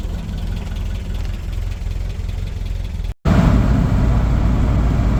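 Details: 1985 Toyota pickup 22R four-cylinder, sat over 10 years, idling after exhaust manifold refitted with new gaskets: steady deep rumble, no ticking or puffing at the front of the engine, much quieter; manifold no longer appears to leak.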